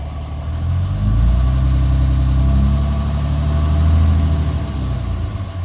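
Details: 2007 Dodge Ram 5.9 Cummins, rough idle for about a month: uneven loping low rumble pulsing about four times a second; intermittent fuel rail pressure sensor, MAP sensor and overboost codes, owner wonders about excess blow-by; cause unknown.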